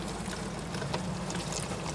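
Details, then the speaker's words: GE dishwasher model GDWT668V00SS, being run to diagnose a leak from both sides of the door: a steady trickling rush over a low hum as it fills with water normally before spraying starts. "okay i started it i can hear it filling right now um pretty soon it'll start spraying around"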